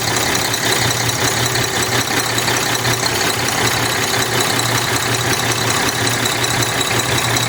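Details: Cummins ISX 870 truck diesel at idle after injector replacement and overhead adjustment, fan running: uneven, loose rhythm, roughly 160 stumbles a minute under steady clatter; owner says it still sounds like a miss.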